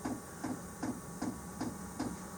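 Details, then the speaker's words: Chinese diesel heater in a garage after replacing its leaking 10 L fuel tank with a 15 L tank; quiet, regular ticks about 2.5 per second, evenly spaced over a faint hum as the fuel pump finally pumps; normal fuel pump ticking. "there it goes it's finally pumping there"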